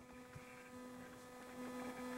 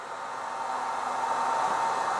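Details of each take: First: 600W inverter on a small booster pack powering house circuits, about 70 W load: steady electrical buzz with thin whining tones over a low hum; it doesn't like multiple CFL bulb loads but still runs them, probably not good for it. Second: 600W inverter on a small booster pack running house circuits: airy cooling fan rush climbs in loudness and pitch as the inverter pulls more power; normal fan response to load.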